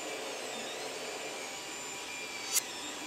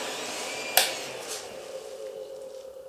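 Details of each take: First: Creality CR-10 Mini 3D printer after replacing all three control box fans (one had a faulty bearing) with quieter ones: soft, even high whirr with sweeping motor tones; extruder fan and steppers now loudest, no rattle; fans healthy. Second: Creality CR-10 Mini 3D printer control box with three cooling fans, one with a faulty bearing: steady airy whoosh, thin constant whine and a click at switch-on; the fans run loud.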